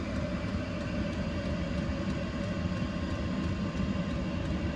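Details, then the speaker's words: 12V 8kW Chinese diesel heater fitted in a boat canopy, cutting back from maximum to the low setting: slow, evenly spaced dosing pump ticks over a steady fan hum; normal operation on low. "can hear the pump just clicking away, but at less rate. So that's good. That's all working really well."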